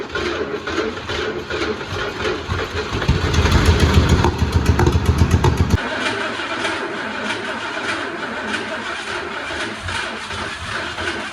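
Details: 1979 Ford F350 Ranger XLT 4x4 V8, possibly 351, after 40 years sitting, old ignition removed and thicker ground cable fitted: cranks and catches, brief rev, then steady low rumbling idle; running normally.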